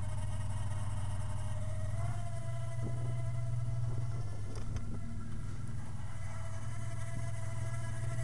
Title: 3.8 V6 Whining Noise